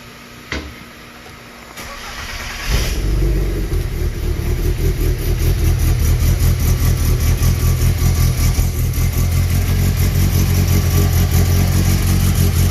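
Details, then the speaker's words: 1992 VW GTI track car, 2.1 stroker 16v with 288 cams, after exhaust leak and power steering leak fixes; cranks, catches and settles into a loud lumpy idle, steady pulse, no exhaust ticking, no power steering leak, exhaust much improved. "all right so right away i can tell you the exhaust is great compared to what it was and then there does not appear to be any powered steering fluid leaking out"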